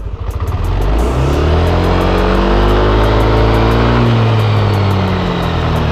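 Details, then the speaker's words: Yamaha NMAX Neo standard scooter (no tachometer) on stand, throttle raised until VVA indicator appears; engine revs smoothly and a light steady tick about four per second sounds from under the engine as VVA engages normally. "Nanti kan gua gas agak kencang, di sini akan ada tulisan VVA men. Kalian simak baik-baik. Kayak gitu. Kalau di mesinnya nanti akan bunyi tik kayak gini"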